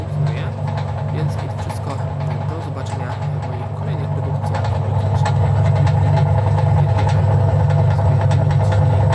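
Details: 1984 Frania SHL impeller washing machine after capacitor replacement, motor test: even low hum that builds slightly and settles, no rattle or struggle; runs normally.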